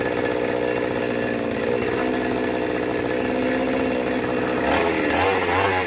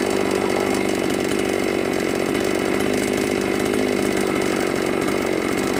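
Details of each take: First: Brand-new Magnum G11 chainsaw bought online, first run: rough wavering drone, tries to climb then sags and nearly stalls; bogs on throttle, cause under investigation. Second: New Magnum G11 chainsaw after the carburettor throat restrictor was removed holds a high, steady scream at full throttle without bogging or stalling; it now revs cleanly, fixing the earlier bog and stall on throttle.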